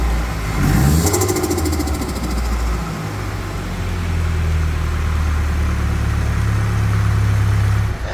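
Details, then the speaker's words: Nissan S15 Silvia first start after fitting intercooler, catch can, new intake and Z32 airflow meter, untuned: catches and settles into uneven, lumpy fluttering idle with hollow low rumble; needs dyno tune. "right guys so yeah we got a nice flutter there it doesn't sound like it's running 100 obviously we're going to have to get it to the dyno"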